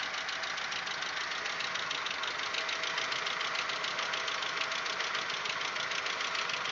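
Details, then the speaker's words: Audi 1.8, 90 hp, warm idle around the sixth minute: fast, light, uneven top-end ticking, three to four per second, very loud, absent when cold. It appeared after cylinder-head repair. Owner suspects hydraulic lifters or the 15W-40 Lukoil oil; unconfirmed. "вот тут уже на шестой минуте усилил как-то я не знаю в каких мер очень очень громкий стук"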